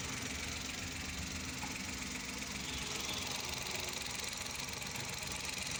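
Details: 2012 Mazda, a Suzuki Every twin, that had a check-engine light with code P0303 (cylinder 3 misfire); after repair, a steady idle with an even beat under hiss, no stumble or dropout; normal idle.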